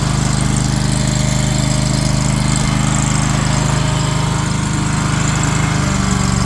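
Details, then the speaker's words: Wacker RD27 mini roller with replacement Predator 670cc engine, original engine seized: small engine holds a steady even thump while driving forward and backward, no knocks or surging; runs healthy. Normal running under load. "Forward, backwards. Everything works good. Looks good."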